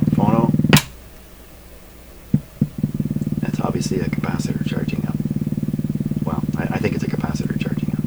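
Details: Canadian PYE Model 39HC radio: on low volume a steady low putt-putt pulsing about four per second over the hum as the set motorboats into oscillation; cause still being hunted, possibly a failing filter capacitor, unconfirmed.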